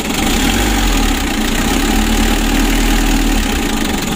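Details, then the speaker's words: Mitsubishi L300 diesel, warm engine, revved: harsh, clattery roar stays coarse through the rise; engine shakes badly, heavy blow-by, compression leaking into radiator as air bubbles; rough running, cause not yet confirmed before engine teardown. "serasa kasar suaranya kasar teman-teman"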